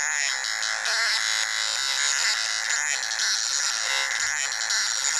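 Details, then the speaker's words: Motor driven by a synchronous torque controller with mark (pulse width) control being added: high buzzing whine shifting pitch like a tune as the controller deliberately varies the mark length. "What's happening is if I put my finger on it, it's funny. It makes it actually does. It's got a tune."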